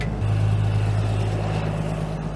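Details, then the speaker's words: Late-1980s Dresser TD-25G dozer, KT Cummins diesel, freshly jump-started and idling. A deep, steady rumble with a firm low drone and no knocks or misses; the engine runs smoothly, though the transmission has a suspected bad reverse. "buddy she sounds [Music] good"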